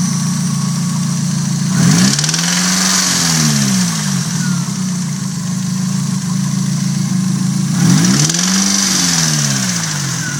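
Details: Nissan SR20DET turbo four-cylinder after sitting unused a while, idling with two sharp revs: a steady rapid knock, about four per second, rises with revs; owner unsure whether rod knock or valvetrain.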